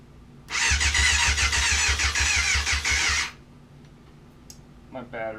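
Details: 1994 Yamaha FZR600 that sat 15+ years, after replacing a blown main fuse: the starter drags the engine through in slow, uneven pulses for about three seconds and never catches. The battery is too flat and was charged for a few hours afterward.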